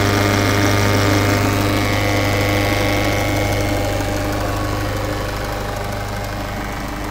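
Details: 2013 Peugeot 508 SW 2.0 HDi 163hp diesel idling with a steady low hum and a regular tapping about three to four per second; abnormal idle noise, cause unknown.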